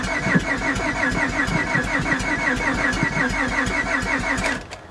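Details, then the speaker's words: Copart auction Honda: steady uneven cranking chug with weak occasional pops, won't start; uneven compression, cat seems missing; suspected overheating, head gasket or timing belt, unconfirmed. "Oh, uneven compression. Yeah, that doesn't sound good at all. You can hear it, sounds like the cat's missing."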